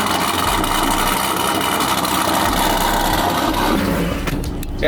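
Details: Procharged Pontiac G8 V8 after a piston replacement: steady, even engine roar holding for several seconds, no knocks or misses; starting and running cleanly.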